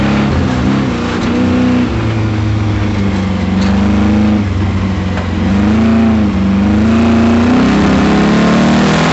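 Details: Camaro V8 at full throttle on an autocross lap: rough, uneven knock running through the revs, first taken for a miss, then found to be a spun bearing.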